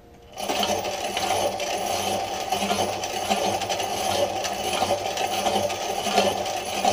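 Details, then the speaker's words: DIY electric bike built on a 21-speed Walmart bicycle, motor spinning unloaded: uneven rattly scrape and clatter pulsing about once a second as the slack chain jumps off its tensioner gear onto the wrong side of the washer. "uh we'll go see this here you can see I don't know if you can see there's some scraping going on back"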